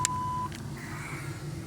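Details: 1998 Chevy Silverado GMT400 daily driver, battery found below 10 volts and no start, then charged; at idle after start-up one short steady mid-pitched warning beep sounds, diagnosed as a bad alternator voltage regulator.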